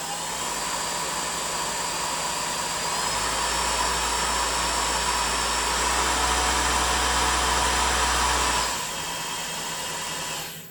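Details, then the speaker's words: Original Tormach RapidTurn spindle on high speed range, stepped up: smooth airy whoosh holds steady then winds down, no ticking or tinkling; normal spindle running. "so it's just a whoosh sound it's no other sound again a lovely smooth sound no beer in tinkle"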